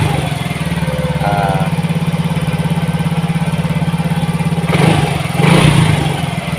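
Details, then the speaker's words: Yamaha Mio GT fuel-injected scooter after new injector fitted: high steady idle, fast even buzz around 1900–2000 rpm; injection 1.0 ms, mixture trim -7 because CO/fuel setting raised to 15% holds idle high. "Jadi -7 ini berkaitan dengan tadi setting CO berada di 15%, makanya stasionernya tinggi. Karena hitungannya lebih boros."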